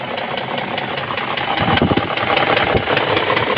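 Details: BMW X5 E53 with M62 4.4 V8 at steady idle: a dull, fairly regular knock, two to three beats a second, growing louder, seemingly from the left cylinder head (driver's seat view); cause unknown.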